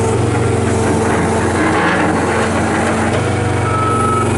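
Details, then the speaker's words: 2011 John Deere 333D rubber-track skid steer, high flow, two-speed, 95 hp diesel, 2,439 hours: steady, even diesel drone with a firm low rumble and no misses or stumbles; engine runs strong and smooth, unbelievable power. "It does not miss. It does not carry on. It has unbelievable power, which I'm going to take it down here and push it to the topsoil pile so you can see that."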